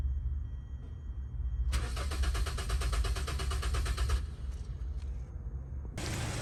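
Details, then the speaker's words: Hyundai Sonata after fuel pump replacement, which previously gave no pump hum: quick cranking burst, then the engine catches and carries on at a steady, even low rumble; healthy start and run. "So that's it guys, have the car running, everything good now."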